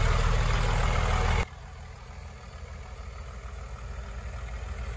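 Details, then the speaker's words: 2004 Blue Bird SC2000 bus, six-cylinder diesel, first start after long sitting, cold and warming up: steady low idle with an even, regular thump, no misses or knocks, only slight smoke; normal idle. "Oh, that sounds lovely. Oh, I love the sound of a six-cylinder diesel. It just makes all the right noises."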